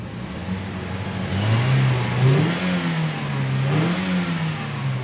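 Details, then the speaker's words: Toyota Vios Limo Gen3 ex-taxi after engine flush, new air filter and replaced temperature switch, revved to warm up: spins up cleanly and drops back smoothly on each blip, crisp even response, sounds healthy. "Ini udah digurah ya teman-teman, bagus. Suaranya juga mantap ini."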